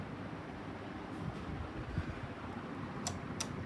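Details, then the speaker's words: Ceiling fan after disassembly and fixing noisy sealed bearings with WD-40: runs quietly with only a soft steady low hum, no grinding or rattling. "so let's see this it's so quiet"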